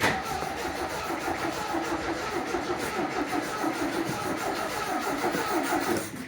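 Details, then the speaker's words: 1980 MGB: starter cranks the engine evenly for several seconds without firing; fuel gauge reads empty, and after adding fuel it starts. "Good. I mean, fuel thing says empty. Does it? Yeah. Oh, that could definitely be it."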